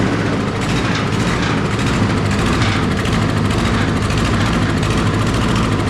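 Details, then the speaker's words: Toro 22 inch Recycler model 20332 mower with Briggs and Stratton Quantum auto-choke engine, brought in as barely running: low, heavy drone with an uneven, stumbling beat, barely staying alive; rough running, cause not yet found. "hey well he's not lying it'll barely run goodness gracious alive we got a sick pup"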